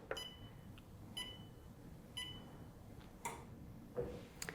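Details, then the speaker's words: Wellfit TM029 compact treadmill starting at 1 mph with safety key: three short high beeps about a second apart then soft thumps; normal beeps that also sound on speed and incline changes and cannot be disabled. "And you might be able to hear that the treadmill beeps as I adjust the speed. And it will do the same when I adjust the incline."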